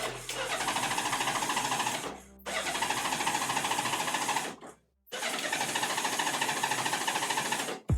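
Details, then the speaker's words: Honda Goldwing that sat a long time: three long cranking bursts, engine turning over but never catching. Likely a weak battery; owner says the headlight cutout during cranking was hacked out; he plans to use a jumper. "I think the issue with it not starting on its own battery power has to do with this guy hacking out the thing that turns off the headlight"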